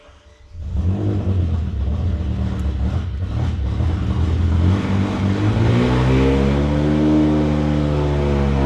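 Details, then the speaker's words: 2006 BMW E60 M5 S85 V10, replacement used engine first test fire with exhaust off; catches after short crank while fuel primes, then settles into a loud, smooth, even idle with no knocks or misses. "But man, it runs. It actually ran really smooth and we didn't have any issues underneath."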